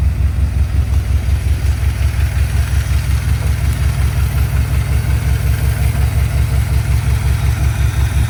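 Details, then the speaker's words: V8 idling smooth and steady with a deep even pulse after timing moved one tooth, which fixed a rough idle/off-idle; faint valve tapping remains, valves still need adjusting; new dual exhaust fitted. "all right so there it is one tooth made all the difference in the world um Idol's a lot smoother now"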